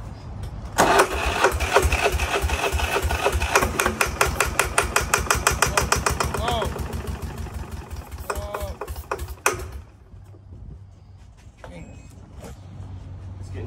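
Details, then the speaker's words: Free diesel engine, air-starter cranking at about 200 compressions a minute for eight seconds with throttle set, never firing; engine turns freely but no fuel delivery. "closer and closer to the back give her some more we're not getting fuel still"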